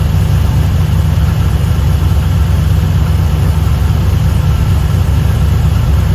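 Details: LS1 V8 one-tonner idling on first startup after fitting an upgraded Aeroflow 78/75 Gen 2 turbo and new cam: a deep, steady rumble with an even beat and no ticking or puffing from the exhaust. Turbo spinning well, no exhaust leaks, normal idle.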